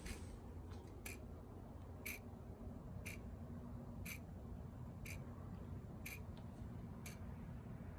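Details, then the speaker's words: John Deere 111 mower with newly installed hour meter wired to key power: crisp, sharp tick about once per second, steady over quiet background, stops with key off; hour meter counting normally. "You can hear it clicking along. Key off, nothing. Key on."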